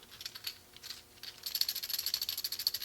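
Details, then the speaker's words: Old garage door roller removed and spun by hand: a rapid, uneven metallic rattle from a worn-out, loose bearing. "You can hear how worn out that is. How bad it is and noisy."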